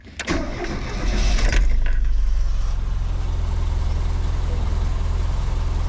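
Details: Renault Fuego Turbo, starter re-tested on camera to check the earlier fault doesn't return (owner suspected a stuck brush): brief cranking, then the engine catches and settles into a steady, even low-rumble idle; normal starter cranking and start.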